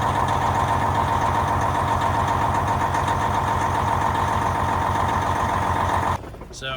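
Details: Detroit diesel truck engine back running after shop repairs: steady, even idle with a smooth, regular beat and no knocks or misses until it shuts off; healthy running.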